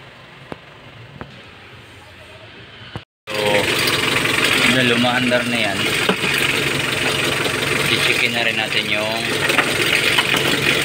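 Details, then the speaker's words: 2015 Mitsubishi L300 diesel after fixing its morning hard starting by tightening the loose thick black wire at the glow plug heater module: after a quiet stretch it catches at once and settles into an even, steady idle clatter. It runs normally. "tanggal yung hard starting niya"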